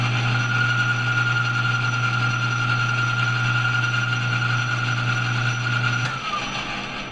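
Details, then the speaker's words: Lathe making a cleanup pass with power feed on, knurled thumbscrew stock: motor hum under a steady high singing chatter from the tool, blamed on too large a tool angle, fading as the cut stops; tool chatter. "there's a good example do you hear that chattering going on I'm scraping back here I don't have I have too large of an angle"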